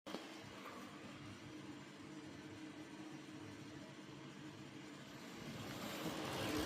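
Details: Gigabyte 7900 XT graphics card, two months old: steady fan whoosh with a rough, gritty low grinding rumble that swells toward the end, from the card's fan.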